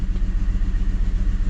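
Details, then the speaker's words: 2006 Mercedes C230, about 78,000 miles, idling: quick, even pulse with a faint lumpy beat underneath; engine misfiring, cause not yet found. "I have no check engine light and the car is misfiring"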